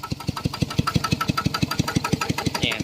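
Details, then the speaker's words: Piston water pump crankshaft set after adding about 1 litre of lubricating oil (earlier loud knocking was from lack of oil): steady even pulses about five per second, no clatter or knock; running normally. "มันมีเสียงดังเพราะว่าไม่มีน้ำมันนะครับผมใช้ได้แล้วครับผม"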